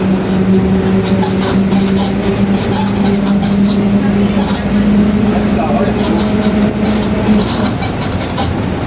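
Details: 2021 Marcopolo Torino S bus on Mercedes-Benz OF-1721 BlueTec 5 chassis, urban route, driving: steady low droning hum near 200 Hz holding under road noise; differential growling.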